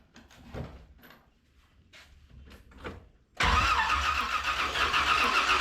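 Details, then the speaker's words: 1981 Chevy Corvette V8 after engine reinstall, cranking with the number 1 plug pulled to check for spark; the plug is soaking wet. The starter churns evenly at about four beats a second and never fires. No spark, so the coil is tested next. "There's no spark. All right, with that revelation that we're not getting a spark here, we're gonna test the coil."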